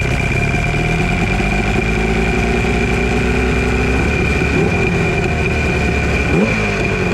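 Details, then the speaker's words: Chrysler 100hp two-stroke outboard on 1982 Glasstream boat, sat about six years: even burble at steady idle, no knocks, rattles or misses; initially no water flow, then hot water comes out; runs smooth. "Not seeing any water flow out of it, but it sounds good."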